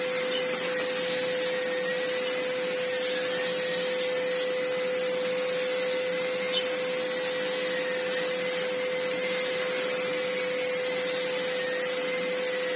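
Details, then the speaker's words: Sebo C2 Total vacuum cleaner, used with a broken wheel, on max speed with more airflow through the hose: steady even motor roar with high whine and rushing airflow hiss, no stutter; vacuum running healthy. "Now that it's got more airflow going through it, I mean, the airflow is something else. I mean, we're still on max, but you can hear it coming out."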